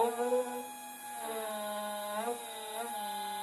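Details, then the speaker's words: Two identical stepper motors, formerly printer X/Y axis motors, wired in parallel sharing 2 A: loud singing whine sliding up and down as they accelerate, quiet at maximum speed; abnormal stepper whine, cause unknown. "okay now they are turning you can already hear that they're allowed"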